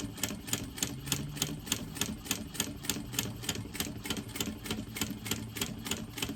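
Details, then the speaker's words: Sewing machine stitching tote webbing with the zipper foot still fitted. Sharp, regular ticking about three per second over the motor hum while stitching; the noise is new. Owner wonders about removing the zipper foot; cause unclear. "I'm not sure why my machine is making that noise. Never used to make that noise."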